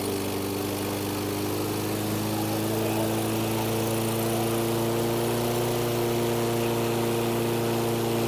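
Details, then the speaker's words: 2014 Troy-Bilt TB130 push mower, unwarmed, choke not yet open, black smoke: steady running with slight speed drift, rich and unsettled, then quits on its own with fuel remaining; owner suspects a stuck automatic choke. "that wasn't good it quit out on its own and it still got fuel in it so when you heard it uh start it was running rich"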